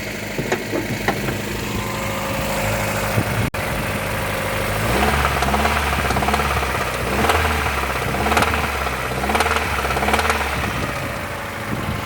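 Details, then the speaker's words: Toyota petrol engine at 378,000 km, hood open at idle: sharp recurring knock roughly once a second over the steady running; engine knock, cause not confirmed. "жу вам уникальный случай что автомобиль тойота стучит даже 500 тысяч не отходил"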